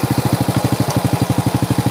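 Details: Honda Supra with a Honda Grand coil and Keihin carburetor, checked before further work after a previous shop botched its internals: crisp, even exhaust pulses at about eleven a second with no misses or knocks, a smooth healthy idle.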